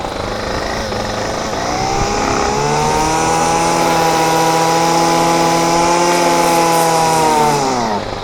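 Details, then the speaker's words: Champion string trimmer two-stroke, no choke, started by priming fuel: catches and climbs straight to a steady high buzz, holds a few seconds, then sags and dies; stalls after revving because the choke is missing. "And there goes the die. That's amazing. Try it again. Fire it up. Damn it. And it's about to die. What in the world is going on?"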